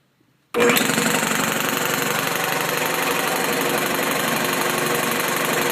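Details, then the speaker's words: Newly installed used air compressor on new 240V supply with 12-gauge wiring, rated about 100–120 psi: kicks on abruptly, then steady even rapid chugging, no knocks or squeals, reaching 120 psi; owner unsure if sound normal but thinks so; normal running. "okay it's up to pressure 120 pounds will blow our catchment here I don't know if that sound is normal I guess it probably is"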